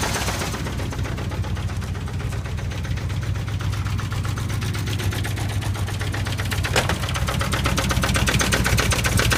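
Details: 1979 Chevy K5 Blazer with a 350 engine: steady idle with a sharp, regular knock about four times per second. The owner is unsure whether it is the flexplate or an engine bottom-end knock.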